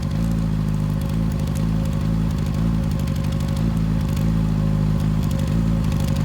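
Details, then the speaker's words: 2007 Yamaha FZ6 four-cylinder idling loud and fairly steady after iridium plug swap and regap, but the beat still stumbles with uneven pulses; intermittent idle misfire unresolved, owner suspects fuel-related. "well that's a wrap on working on the fz6 for today even though we don't have a conclusion it still misfires"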